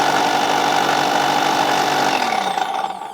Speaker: okay it does work it just sounds a little rough H maybe that's what they're supposed to sound like